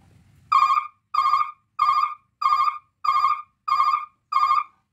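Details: 24-volt truck three-sound reverse alarm tested on the bench with the yellow wire connected: seven even beeps around 1 kHz, roughly 95 a minute, clean; the brake-warning tone.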